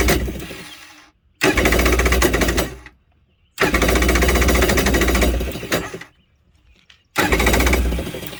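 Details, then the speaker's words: Old (circa 1986) Kawasaki X2 jet ski no-start after fixing a missed battery wire connection: three short bursts of free starter whirring, engine not turning; starter Bendix not coming out to engage the flywheel. "right you all hear that right there so that's a starter Bendix not coming out and hitting that flywheel"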